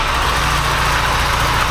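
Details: Porsche 944 after engine swap, after gasket fix: steady even idle with smooth low beat, no misfire; no longer sounds like three cylinders, running cleanly.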